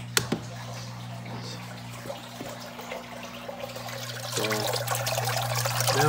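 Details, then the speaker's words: Saltwater aquarium mixing-station pump facing up, with the wrong elbow fitted on its outlet: steady hum near 120 Hz with irregular splashing and trickling, which the owner dislikes and later fixes. Pump outlet splashing. "But I don't like that noise, so I'm gonna fix that."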